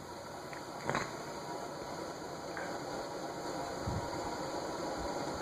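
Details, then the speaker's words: 1990s Emerson Tristar "Air Design" ceiling fan on high: steady whir with a rough, gritty rumble of bearing noise (quiet on low) and a quick spin-down; owner suspects something stuck in the bearing but found nothing. "And you can definitely hear the bearing noise. Spin down. And spin down is quick. It's almost like something is stuck in the bearing, but I couldn't find anything."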